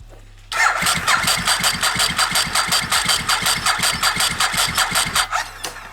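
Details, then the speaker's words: Abandoned Ducati 1098 on a battery not suited to it, old fuel: steady starter cranking about three compressions a second with sputtering attempts and tailpipe smoke, never running; weak battery and stale fuel suspected. "still not enough juice to crank it I don't know I know that battery isn't like specifically for this"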